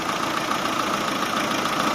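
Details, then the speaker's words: Chevrolet Aveo with code P0507 and idle surging: holding the cracked EGR-to-throttle-body return pipe by hand, idle returns to an even, steady light hum with no hunting; normal idle, leak found there. "ทุกคนฟังเสียงเครื่องดีๆนะครับนะครับเครื่องรถจะกลับมาเดินรอบปกติรอบเดินเบาก็คือเดินปกติเลย"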